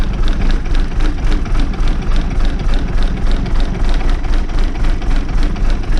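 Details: Old diesel bus idling after starting, fuel pipe moved the week before: deep low rumble with an even pulse around 200 a minute, steady and unhurried; normal idle.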